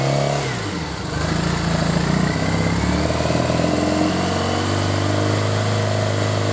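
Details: Triumph Bonneville twin after replacing failed regulator that stopped battery charging: steady low idle after a brief throttle blip, firing evenly with no knocks or misses; charging 13.9 V at idle.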